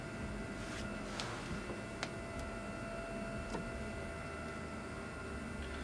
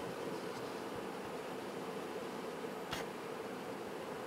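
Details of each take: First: Water-cooled home server in a BitFenix Prodigy with Swiftech Apogee Drive II pump running full speed without speed control; thin steady high whine with faint clicks, audible with side panels on. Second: BitFenix Prodigy water-cooled home server with a Swiftech Apogee Drive II pump, XSPC EX240 radiator and Gentle Typhoon fans: a faint steady airy hiss with a soft pump hum and one click. Normal quiet running.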